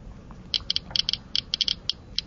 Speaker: again we can hear the clicking from the back from the radiation given off by the gamma source it's more active than the alpha source but less active than the beta